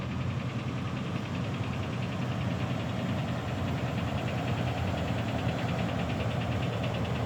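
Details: RAM 6.4 engine at startup: steady low rumble with a fast, even ticking knock over it, from inside the engine; cause undetermined.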